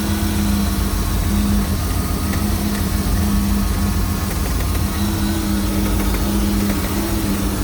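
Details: MerCruiser 260 5.7L V8 marine engine at idle. Even idle with a low steady knock under the exhaust note; heard only at idle and gone as rpm rises. Source still being diagnosed.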